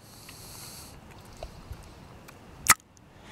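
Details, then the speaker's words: 2006 Toyota Tundra secondary air switching valve, off the engine, bench test: single sharp clunk as poppet snaps back when vacuum released, normal good valve; replacing failed valve behind codes P1441, P2440. "that's the sound your valve should make when you release the vacuum."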